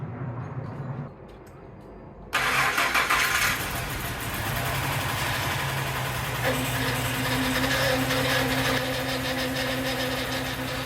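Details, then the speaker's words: First start of a freshly installed engine in an old neglected truck after priming oil and fuel: engine cranks, fires right up and idles while a steady low hum and whine rises, a noisy power steering pump. "power steering doesn't sound good. Let's fix that."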